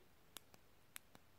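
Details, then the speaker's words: New replacement Nintendo Switch Joy-Con joystick, tested before fitting: two crisp presses about 0.6 s apart, each with a sharp click and a softer return click, unlike the old sticks that no longer click. Normal joystick click. "les petits tics et là on entend en entend bien le petit clic je sais pas si vous l'entendez"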